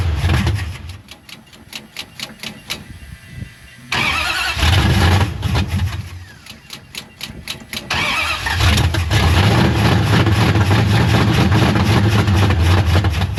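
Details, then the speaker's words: 1973 Dodge Charger 383 big block, bottle-fed through a bad carburetor: long bursts of cranking, then it catches and runs lumpy and uneven. The choke had been left closed; they suspect the carburetor is trash and a poor timing curve. "Is the choke open? >> It is now. Okay. >> It wasn't. >> That's part of it. [Music] No, this thing just not happy."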